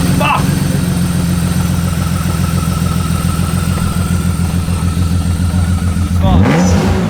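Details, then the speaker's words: Six-cylinder with an uneven idle and a repeating missing pulse that carries into a rev; still missing after cylinder 6's injector was swapped for a known-good one. Spark is strong and compression is 30 PSI low on cylinder 6. Cause unconfirmed. "Though the cylinder 6 did have 30 less PSI compression than the rest, it technically should still fire."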